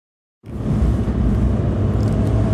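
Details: 2002 VW New Beetle under acceleration: faint thin whine over the engine rumble, a vacuum leak found to be several broken plastic parts, fixed with replacement emissions/vacuum parts.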